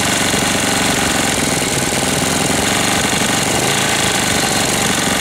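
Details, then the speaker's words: 1998 Briggs & Stratton 60 Intek Edge 6 hp, restarted after long storage with oil changed, air filter removed, engine cold: dense rapid knocking over a rough, labouring run, sounds about to seize despite correct oil level. Cause unknown. "Bizard comment il tourne. Bon, je vais le laisser tourner pendant un moment. Bizarre le bruit qu'il fait. On dirait qu'il va serrer."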